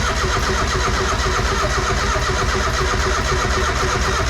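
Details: Mazda Miata with a different MAF sensor just fitted: steady, even cranking at about two turns a second with no catch or rise in speed. The fuel tank may be empty. Cranks but won't fire.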